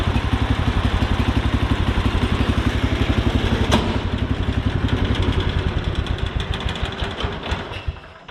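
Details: Cub Cadet 1200, cast-iron single-cylinder 12HP K301, sat for years, tank and carb cleaned, new fuel lines, owner plans more carb cleaning: steady thumping beat, about four pulses a second, even and strong before winding down; normal running.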